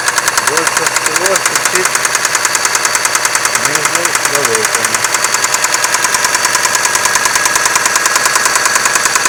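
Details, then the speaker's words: 6A13 engine at night, started with difficulty; sharp, regular metallic knock about three times a second over the idle, present from startup; oil pressure lamp off, no misfire or vibration; cause unknown. "Стучала сразу. Очень сильно. Вот такой противный стук."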